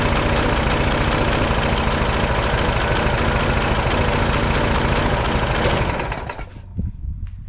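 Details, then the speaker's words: Troy Bilt front-wheel-drive mulching mower, old Briggs & Stratton Quantum Power 4 HP engine, after a fix for gas leak and no-start. Steady single-cylinder beat, three to four firings a second, even until shutdown: normal healthy running. "I didn't even give it a full pull and it started right up. So this engine starts right up. There's no problem with it."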